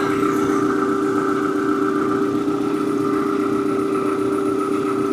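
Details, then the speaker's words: Forklift with four new ignition coils and four new NGK iridium spark plugs: steady, even engine note with constant mid-pitched tone and no stumble or misses; a squeaky belt or pulley noted afterwards; normal running. "I'm gonna turn it on real quick and see how it runs with 4 new coils, 4 new spark plugs. See what's up, see what's up. Hey, I like that."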